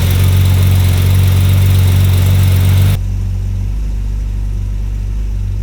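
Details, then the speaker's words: Honda NSX with fully built engine and supercharger, first start after throttle position set screw adjusted for larger throttle body: cranks, fires, steady drone steps down to smooth fast idle, running much better. "Good to go, cranking now. Oh, there she is. That's so much better."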